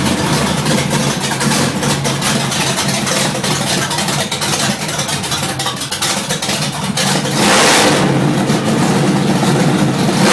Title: Rough idle third gen